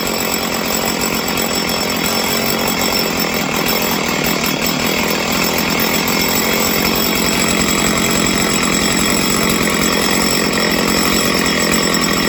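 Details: Stihl chainsaw during carb tuning, after it would not idle on the low end: a loud, even, high buzz holds steady with no hunting or bogging, running smooth and clean once fixed.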